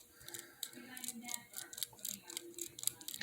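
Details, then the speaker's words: RC model axle turned by hand with force, microphone close: irregular clicking from a bad bearing that resists turning. The owner suspects the brass gear may be off-center; no ball bearings fell out. "there's a bad bearing in both of them but this one let me move it over here by where my microphone is you can hear it clicking"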